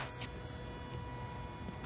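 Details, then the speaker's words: Toyota hybrid A25A-FXS inverter coolant pump, reservoir lowered to show flow, running in EV mode: faint steady constant-pitch electric hum, no rattles or surging, continuous coolant flow; owner had suspected failure as both hoses same temperature; pump normal. "it's working and I can see the coolant flow is uh continuous and I can hear it from here all right"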